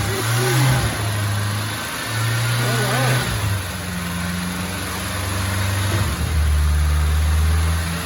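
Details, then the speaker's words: Merkur XR4Ti, turbocharged, manual, firing up after long storage with a fresh battery and old fuel: engine blips up from idle and settles smoothly, revs rising and falling evenly with no knock; runs healthy. "it's running [Music] incredible it runs it runs at this point runs i can hear the turbocharged power incredible it's alive alive oh boy it smells of wonderfully old fuel but it's alive"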